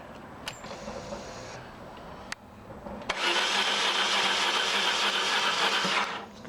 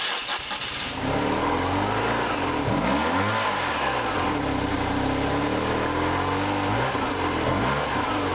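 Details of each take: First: 1995 BMW R1100RSL boxer twin, unstarted for over a year, with a battery installed and plugs reinstalled at 20 Nm: after a couple of clicks the starter whirs steadily at three to four beats a second for three seconds and the engine never catches. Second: 1995 BMW R1100RSL boxer twin, unstarted for over a year, after clearing the blocked mufflers: catches, rises and falls through several clean revs, then settles to a steady idle; healthy after the no-start was fixed.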